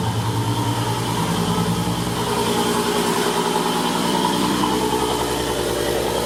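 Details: Mk4 VR6 (Jetta/Golf/GTI) after power steering pump replacement and refilling fluid, original pressure line kept: steady six-cylinder idle with no pump whine or groan; normal idle.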